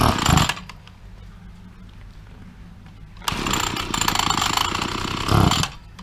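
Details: Two-stroke petrol trimmer that would not start, after the carburetor was removed; the spark was checked and suspected as the culprit, and it was primed before starting. It catches, settles into a steady idle, and revs up crisply and back while warming up. Normal running.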